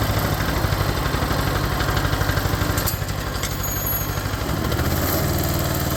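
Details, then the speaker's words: Cub Cadet 482 tractor on its first start after a non-original engine was swapped in: a steady, even, low engine beat of about three pulses a second with no knocks or misses, so it is running normally. "wow I'm pretty happy um runs pretty good I'm impressed um"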